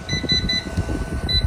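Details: PIP2424HS 24V off-grid inverter showing error code 1 but still working. Rapid high-pitched chirping beeps repeat several times a second over a low hum, a fault alarm. Owner suspects a failed or seized cooling fan.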